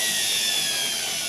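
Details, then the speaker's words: Electrolux EW659F front-load washer that would not spin-dry, after repair: smooth, high-pitched jet-like whir at full spin, no knocks or scraping; normal spin cycle. "เสียงเนี้ยเสียงความสำเร็จใช่ไหมใช่เสียงแบบนี้นะ"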